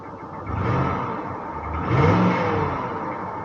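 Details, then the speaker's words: Northstar engine in a salvage-auction car, revved twice in park after misfiring hard: a faint clatter or ticking rises with engine speed, sounding like a light rod knock. Suspected, not confirmed. "is that a knock no way no way man you hear that ticking but that almost sounds like a rod knock"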